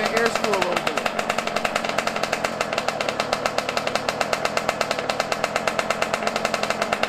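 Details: Yamaha YZ125 two-stroke, cold at around 20 degrees, not warmed up, during carburetor air screw and idle adjustment: a fast, raspy idle crackling slightly unevenly, sounding off-tune.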